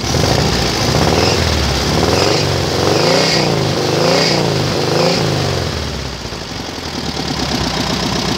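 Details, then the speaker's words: Mini buggy with VW Beetle engine after carburetor refit and adjustment, started and blipped about four times: brief squeal climbing with revs and dropping back; slipping drive belt. "pode ligar de novo é só no beliscão a correia dele está patinando"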